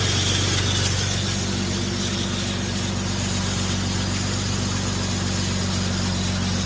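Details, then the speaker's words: Infiniti FX37 at idle after PCV valve and vacuum hose replacement. A loud airy hiss rides over the steady engine; owner suspects the PCV or a vacuum hose, source unconfirmed. "Alright, so I don't know if you guys can hear that, but it's extremely loud."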